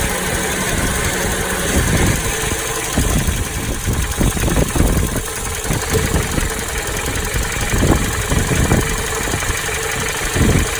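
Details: Toyota Noah 60-series idling with wind noise: irregular rattling (not ticking) from the middle of the engine, not the alternator side, louder inside the cabin; flushing and OH+ additive brought no change; source undetermined.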